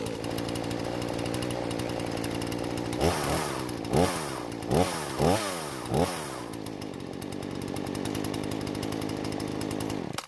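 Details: Husqvarna chainsaw that wouldn't start, after carb screws reset: two-stroke at steady high rev, bogging briefly in each of five cuts then recovering cleanly; runs normally under load after repair.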